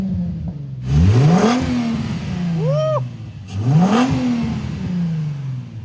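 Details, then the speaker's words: Nissan 350Z bought at auction, engine blipped twice from idle: clean smooth rise and fall, no valve noise or clatter, healthy revving; some smoke seen, possibly steam, oil leaks present, no check engine light. "Ok. Sí está humeando un poco. Puede ser vapor. Pero me gusta cómo suena."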